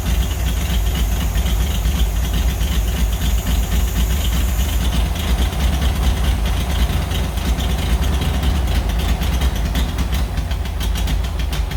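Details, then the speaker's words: 1940s Oliver 70 tractor's first start in about 12 years, with the choke worked by hand. A rough, lumpy idle as if a cylinder drops out; the owner suspects very old plug wires, points or condenser: engine misfire. "well it's really hard to tune the carburetor when you have such an obvious misfire"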